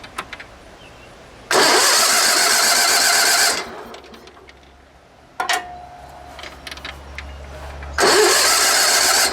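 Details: Sears Suburban SS16, 16 hp Onan twin, sat for years, in neutral with brake parts cleaner sprayed in: two steady starter cranking bursts of about two seconds each, engine never catches; cranks but no start.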